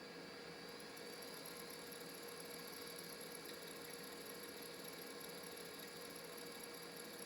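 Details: Old IDE laptop hard drive via EZ-Gig adapter, likely Western Digital Caviar: steady thin high whine over rough hissy spin, not recognized by the system; drive likely failing bearings or heads; grinding whine.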